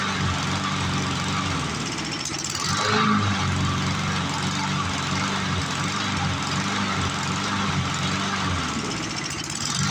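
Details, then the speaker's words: 1997 Lawn Chief 3.75 hp 20-inch push mower engine, scrapyard rescue, after clearing mouse nest: speed swells and sags every few seconds; hunting, owner suspects partially plugged carburetor passage from debris in fuel. "Be a strong runner, but she's hunting a little bit. Oh boy! So that means we probably got a plugged passage, partially plugged anyway, I should say."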